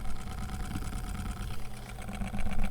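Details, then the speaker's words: Cheap USB mini desk fan on 5 V supply: small motor runs with a coarse uneven low rumble like a tractor, barely blowing air, from worn-out motor brushes; fixed by replacing the motor. "Oh, now just started, but it's barely pushing any. Look, nothing, almost nothing. It's not blowing."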